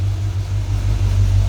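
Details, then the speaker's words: 1978 GMC dual-tank truck after full tune-up and bad gas replaced with fresh in both tanks, Dynamax mufflers: deep, steady, even rumble with no knocks or misses; engine idles smoothly and sounds healthy. "Yeah, this truck just runs so sweetly. Listen to that. No bad noises in the engine, full tune-up on it. It just idles beautiful, plenty of power."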